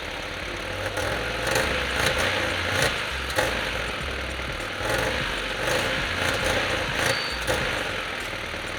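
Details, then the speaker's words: $300 Honda Civic EK hatchback, first start after new clutch slave cylinder: engine runs unevenly with surges and dips after a hard start, won't take gas; owner suspects oil-clogged engine, Sea Foam added. "so the car had a really hard time starting up and didn't want to even take gas but I'm thinking where it was so clogged up with oil it probably had a hard time igniting"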